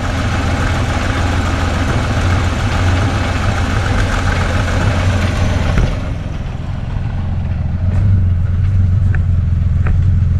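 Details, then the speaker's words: 1969 Ford Falcon petrol engine first started after years sitting, with a fuel pump confirmed squirting and a freshly charged battery: it fires and settles into a steady, even low-rumble idle with no knocks or misses; sounds healthy. "What? I didn't think that was going to happen. I thought for sure she was going to kick and scream."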